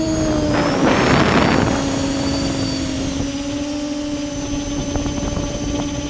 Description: mmmmh, I heard that weird sounds before but now with camera at 15° down it causes bad vibrations. I suspect Esc or motor bearings but I'd investigate better.